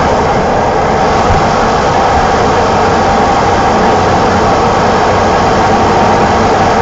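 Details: 1987 BMW E28 520i, M20 2.0-litre inline-six, 129 hp, nearly 400,000 km, running well again, recorded on a phone while driving; smooth, even hum, soft consistent exhaust note, no ticks or misses. Normal running.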